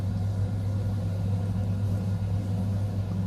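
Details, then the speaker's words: Biasi M90F 24S combi boiler on shower hot-water demand: steady low burner roar with fan hum, then the burner cuts out and does not relight, so the shower water goes cold. "So it's now gone off. So hence then the shower will be cold."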